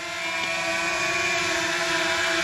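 Steady, even high-pitched rotor hum with constant tone and no rattles or surging; the quadcopter motors are running normally.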